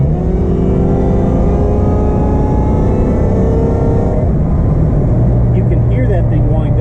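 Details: Mopar Slant Six with a newly swapped supercharger, driving in cold weather, engine below operating temperature (~160°F, 180 thermostat): pulls hard under throttle with a whine rising alongside revs, then backs off. Blower winds up cleanly, normal supercharger whine.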